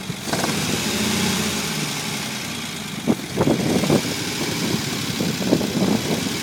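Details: Unimog 404 first start-up after rebuild with new fuse boards and a rewire: petrol engine idling steadily with a few clunks and handling noises on top, settling into an even run; normal idle.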